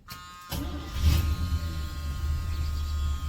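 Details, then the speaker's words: Chevrolet square-body pickup V8 after a small amount of diesel was added to the nearly empty tank: quick catch after short crank, then steady low burble with even beats, no stumble; normal start and idle. "takes off with a nice Idol we"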